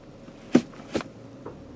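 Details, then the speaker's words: 2017 GMC Acadia, 80,000 miles: subtle clunk when accelerating or letting off the gas, duplicated by shifting reverse to drive; two sharp knocks then a fainter third heard in quiet cabin; drivetrain clunk, cause suspected but not confirmed. "so going down the road when you put on the gas or let off the gas you get this noise and I can duplicate The Noise by shifting so I think I know what it is"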